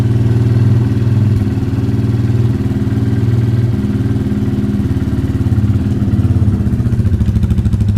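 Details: Hero Eco 150 single-cylinder motorcycle after carburetor cleaning and reassembly: deep, steady thumping idle with a slight rhythmic pulse and no clatter or misfire; the engine runs fine.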